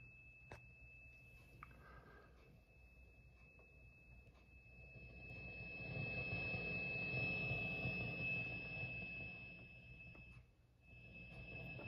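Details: ENGL Fireball 100 tube amp, just over a year old, on the clean channel: a steady, piercing tea-kettle whistle high above the low hum, coming and going more often lately; owner suspects a bad preamp tube.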